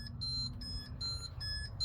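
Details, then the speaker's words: 2003 GEM E825 electric car charging after batteries were topped up with distilled water: repeated short high beeps about three a second over a low hum from the charger; cause unknown, speedometer also fluctuating. "and it's making this noise right now. I don't know why. It's coming from the charger."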